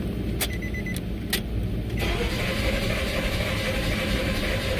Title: Nissan Pathfinder (2005–2008) Crank No Start Fix | Step-by-Step Diagnosis